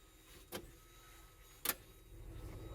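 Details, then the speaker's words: Audi 80 Cabriolet, 130k miles, convertible top lowering: two sharp latch clicks, then a low motor hum as the roof comes down and stops where it should, which is normal; warning lights suggest a sensor issue elsewhere. "latches roof comes down all right so that's as far as it goes which is normal"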